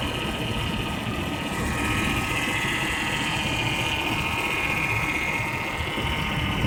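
Steady idle with a fast, sewing-machine-like chatter and a thin high ring on top; source not pinned down yet.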